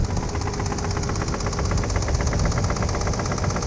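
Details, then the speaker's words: 1992 Nissan 300ZX Z32 slicktop, idle with microphone under the hood: steady idle, coolant and oil pressure (25–30 psi) normal, but a sharp, regular deep knock on every cycle; owner guesses rod knock, unconfirmed, car not drivable. "i mean it idle's great it runs good it's just got a knock in it man you hear i'm guessing that's a rod knock"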